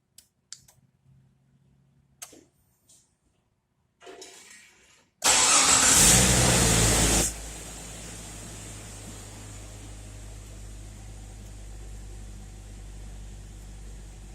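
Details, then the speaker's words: Remote start of a 1999 Jeep Cherokee after a Compustar remote start install, set for 25-minute run time in advanced tach-less mode: quiet clicks, brief crank, engine catches with a rev flare then settles to a smooth even idle; normal crank and idle, heater controls working. "Alright, so as you see, everything's up and running, and your heater controls will work."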